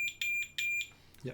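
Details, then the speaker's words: Multimeter continuity test on lead nuts for self-sourced Prusa i3 MK2S build: three sharp high-pitched beeps about a quarter second each; meter sounding continuity normally, brass conductive (graphite SLS nut not). "so the question now is it conductive does the brass conductive is this conductive very okay can you hear the beep"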